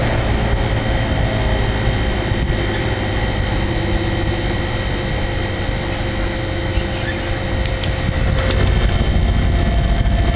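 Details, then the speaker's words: Vintage Montgomery Ward 25-pint dehumidifier made by Norge, circa 1969-70, switched to the low fan setting. A steady, even hum and a smooth fan rush, a little quieter than high, with no knocks or rattles. Normal running. "but it's after 20 minutes at the most of running it will just it'll be completely defrosted here's low a little quieter"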